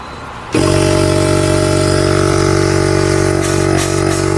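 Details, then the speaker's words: 2011 Mercedes GL450 airmatic compressor unit switched on via scan tool functional test: kicks in abruptly and holds a steady, even hum with firm buzzing pulse; builds enough air pressure, pump is good. "right here our pump turns on it's creating air pressure so the pump is good okay so the pump is creating enough air pressure"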